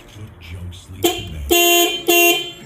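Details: 2004 Suzuki XL7 with horn, blower motor and power windows not working, horn tested by powering its relay circuit directly: two clear, loud horn blasts with steady pitch and proper tone; horn works, control side faulty (clock spring suspected).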